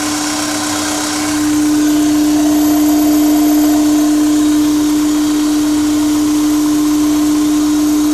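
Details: Honda S2000 with K&N intake: loud steady droning hum at one pitch over engine rush as revs settle; intake resonance suspected, owner unsure if normal.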